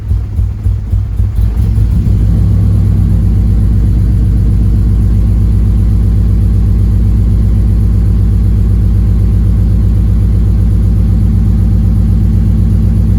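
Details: 9th-gen Honda Civic Si after injectors and connectors found good, spark suspected; loud steady low rumble with faintly lumpy uneven beat: running rough.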